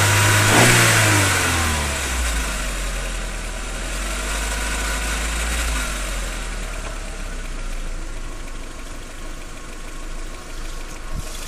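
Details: 1.8T warm engine blipping then settling with a light rustling rattle from under the valve cover, only when warm at about 1300–1800 rpm, never cold; failing cam chain tensioner, replacement eliminated the noise.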